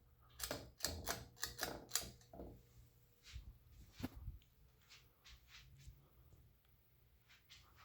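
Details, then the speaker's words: Canarm P-36 36-inch ceiling fan from July 1991 on a long downrod, on medium speed: wobbles a lot, with sharp uneven clicks of the ball socket bumping the canopy, louder motor hum and bearing noise; wobble knocking. "medium it does wobble a lot on medium you can actually hear the uh the ball socket bumping on the lower part of the canopy and it starts to hum a bit louder on medium"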